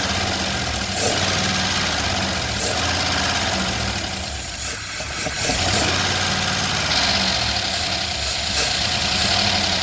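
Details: 1977 Chevrolet Malibu Classic, carbureted, started after fuel was poured into the carb bowl: catches and settles into an even idle with a soft, regular beat that only wavers slightly; normal idle.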